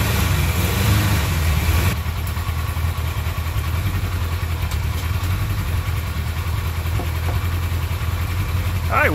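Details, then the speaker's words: 1995 Kawasaki KZ1000P ex-police bike, 72k miles, first start after sitting 3 years with fuel in the oil: low, uneven lumpy burble; all four cylinders firing with hot exhausts but running rough, carbs due for cleaning. "looks like she runs I felt all the exhaust pipes they're all getting nice and hot and of course it runs rough but I know I'm getting spark and running all four cylinders"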